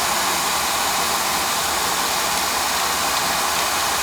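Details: Oil-fired boiler burner on an annual service after a bad nozzle was replaced with a new one, with a big improvement. Steady even roar with an airy hiss, no pulsing, sputter or rumble: the burner is firing cleanly.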